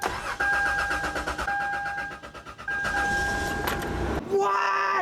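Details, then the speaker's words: Budget camper vehicle sat about two years on old gas, with a questionable battery: starter cranks in quick even pulses, starts first try and settles into an alarmingly high, steady idle that does not drop; normal start. "IT SIT FOR LIKE 2 YEARS STRAIGHT. HOW DOES IT START FIRST TRY? LIKE OLD GAS, OLD EVERYTHING."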